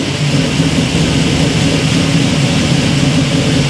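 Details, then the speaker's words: 1967 Camaro V8 first key start after rewiring with a wiring kit, in neutral, good oil pressure: deep even burble with steady lope, no knocks or misses; normal idle. "this thing cool man it idle's nice and oh yeah that's pretty exciting very exciting"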